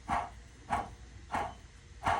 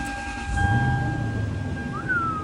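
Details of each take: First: Toyota Sequoia running, belt drive; sharp repeated squawks about every 0.65 seconds, a dry worn bearing sound from the idler pulley, with the tensioner pulley also loud; idler pulley bearing noise, replacing pulleys and belt. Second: Toyota Sequoia starting after an idler pulley replacement and belt refit. The engine settles into a steady, even idle with no squeal or chirp; a normal, healthy start.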